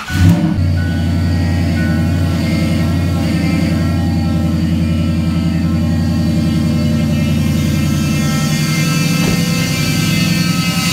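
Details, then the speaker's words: 2005 Ford F-150 5.4 L running: steady engine hum with a constant whine from the diagnosed, failing power steering pump, before pump replacement. "all right guys so today we have a uh 2005 Ford F-150 5.4 liter uh with a terrible power steering noise uh diagnosed it here is the pump let me start it up and let you have a listen to it and then we'll get busy on replacing it"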